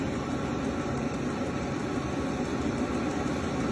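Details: Vevor 12 V, 40 W, 5 kW diesel heater after about 5 minutes of running in a 39°F garage (now 53.6°F, outlet about 350°F): a steady, even whirr of blower and burner with a soft low rumble, no knocks or surges; running normally.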